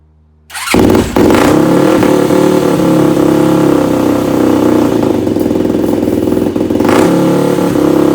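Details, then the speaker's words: Yamaha YFZ450 rebuild, fresh carb mid-body rebuild and new jets, fuel on, no leaks: single fires and holds a high, uneven idle with irregular pops and exhaust flame; rough running, more jetting work needed. "It runs with a little flame to boot at the end. So yeah, we're gonna have to do a little more with the jetting, I think, and a little more with that, but it idles sort of high."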